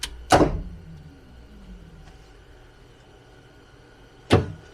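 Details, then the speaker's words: Project coupe powered up for the first time after going through the wiring. Ignition switched off and back on gives two crisp relay clicks over a faint hum, meaning the relays engage normally. An older MSD ignition is fitted. "so all the relays are clicking on and so far it looks like everything is looking pretty good"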